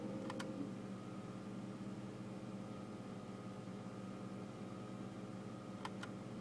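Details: BMW E60 high whining noise from the air-con/heating fan area, steady over engine hum, appearing whenever air-con or heating is switched on and stopping when off; whine rises with acceleration; cause unknown.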